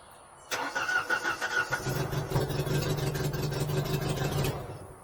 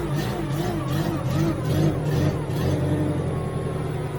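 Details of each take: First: Genie S60 boom lift started from ground controls: starter cranks steadily about four seconds with uneven chuffs but never fires; crank no start, ignition/fuel light (no. 9) off in ground mode, ignition power missing. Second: Genie S60 boom lift after fix: a wire added from terminal 22 to key switch so ignition light comes on in ground mode; engine runs with steady low drone and mild rev swells, no knocks or misses; fixed, normal running.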